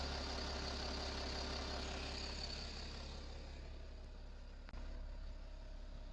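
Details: BMW 525d M57 177HP diesel with ZF6HP transmission at idle: fine, fairly regular metallic rattle about three beats a second; source unclear, timing chain or transmission suspected.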